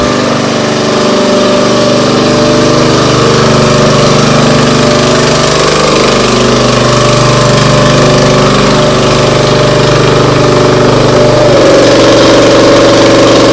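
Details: Briggs & Stratton CR950 208cc engine on a Diamond 25-ton log splitter, after carburetor cleaning for a no-start following a couple of years unused: steady, even beat with no hunting or surging; settles cleanly, healthy run.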